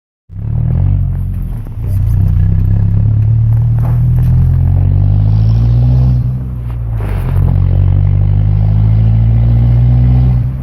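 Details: 1997 Ford Ranger, manual, 2.3L with muffler delete exiting under passenger door: loud deep exhaust rumble at steady revs with rough uneven clatter over it; unidentified engine noise, source unclear.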